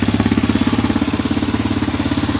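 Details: Roketa ATV at idle with a fast, even top-end tap of about fifteen per second over the small single's beat; it gets louder during riding, oil was being checked, cause unknown.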